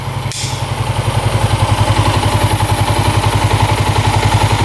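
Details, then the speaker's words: 1987 Yamaha SRX 250 single-cylinder, carbs not leaking, choke off: steady even thump at 1200 rpm idle, no knocking; normal idle. "Sounds really good. No knocking at all. Carbs aren't leaking. Idling perfect. 1200 RPM."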